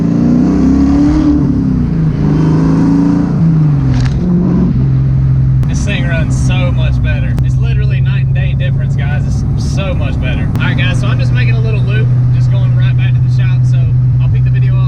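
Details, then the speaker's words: SN95 Ford Mustang V8 on the road after an intake vacuum leak repair: steady deep drone pulls evenly under throttle without stumbles or surges; the earlier hesitation and jerky feel is gone, running smoother than in a long time. "I can already tell you it feels way better underfloor used to underpart Donnell ahead like a hesitation like a little jerky do that's completely gone"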